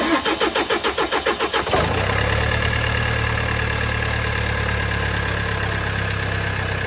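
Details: Range Rover Velar, 76k miles: the starter cranks about eight times and catches, then settles to a busy idle with a faint rattly clatter; owner asks whether it is timing chain noise, unconfirmed.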